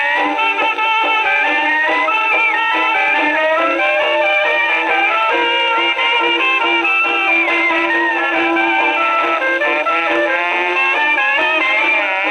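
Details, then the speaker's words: Rebuilt HMV No 4 reproducer, owner reported distortion and buzzing, tested on Victrola VV-50: clear full dance band playback, no buzz, rattle or distortion; decent reproducer. "Well, that sounds like a decent reproducer."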